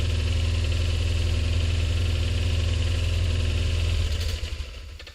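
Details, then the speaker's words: Honda PCX scooter whose exhaust pipe broke loose from the engine flange: loud blatting idle with heavy low chuffing puffs, then winds down and shuts off; runs but very noisy, exhaust leak at the flange suspected, not confirmed. "So yeah, she'll still run, but she's just noisy as all get out, and I really don't need it noisy."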